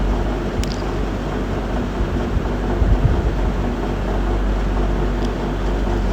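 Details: GMC with check engine light and P0300 random/multi-cylinder misfire code: petrol engine idles with a low rumble that stumbles unevenly, won't hold a stable idle; checking live data per cylinder.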